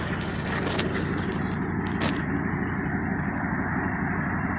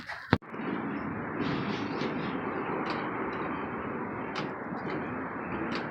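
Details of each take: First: 1986 Trans Am V8 idling low with a deep even rumble, much smoother after new plugs, wires, distributor cap and rotor; a slight rattle from something jiggling still needs pinpointing. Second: 1986 Trans Am V8 after new plugs, wires, distributor cap and rotor: low, loose idle, running smoother, with a raspy chuffing exhaust note from a massive exhaust leak.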